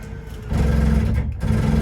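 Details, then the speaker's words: Travel trailer slide-out motor holding buttons at full extension: low motor hum with a brief dropout, then the normal clicking showing the slide-out is fully out and tight. "hear that clicking noise and that's how it's tight"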